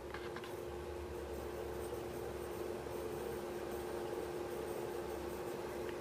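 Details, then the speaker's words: 2004 Volvo XC70 four-channel digital car amplifier, fire-damaged after water submersion while running: faint buzzy tone tracking the music as the DC-DC power supply transformer vibrates from amplifier current gulps. "it takes gulps of current from the DC to DC, and it causes the transformer to vibrate with the music, and you can sort of make out when people are talking and not, just from the vibration of the transformer"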